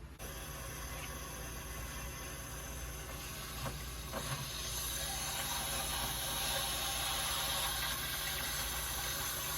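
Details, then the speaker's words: Newly installed replacement water heater (old unit from about 2007), first fill before electrical hookup: steady hiss of water rushing into the tank, growing louder as pressure builds, no knocking; normal filling, though a leak was found afterward. "right it's filling I can hear it you hear it in there starting to increase pressure"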